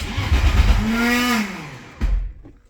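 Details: BMW E81 drift project: a brief starter whine rises and fades for about a second with only a dull thump after, and the engine doesn't turn over. Faulty starter; a new starter is on order.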